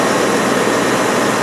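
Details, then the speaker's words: Land Rover Discovery 2 V8 after fixing number two cylinder's intermittently firing spark plug: a bit noisy at first from secondary air injection, then a loud, steady roar with no missed beats; running fine. "a bit noisy at the beginning because it's got secondary air injection pressure over there packing air into it to try and lean out the exhaust thing's great everything's running fine"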